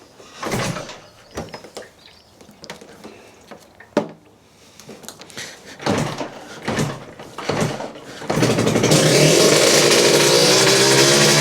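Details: Suzuki RGV 250 VJ22 two-stroke under restoration, fuel on reserve, after recent carb issues that seem resolved: some clatter, then it fires and holds a steady, crisp idle with no stumbling, running cleanly.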